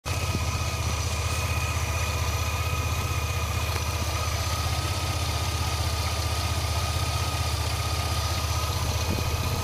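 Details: 2002 Chevy S10 Blazer petrol V6, clean engine: idling with thin steady whine rising and falling in pitch with revs; owner unsure of whine source on acceleration.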